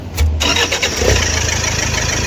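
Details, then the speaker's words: Toyota Fortuner diesel after repairing faulty injectors: quick crank catches at once and settles into an even, steady idle with no misses; normal start and idle, problem solved. "सकते बरोबर है एकदम ऐसा भी मैंने इस निकाला पूरा मिंग कर था गाड़ी अभी एकदम परफेक्ट है"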